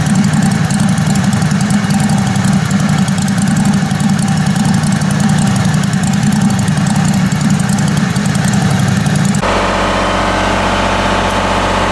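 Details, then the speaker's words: Kohler Command Pro 27hp lawn mower V-twin after head gasket repair, muffler baffle drilled out: loud deep even idle with raw open-pipe bark, no misses or knocks; normal idle with open exhaust. "But it's wide open now. My neighbor's gonna love me."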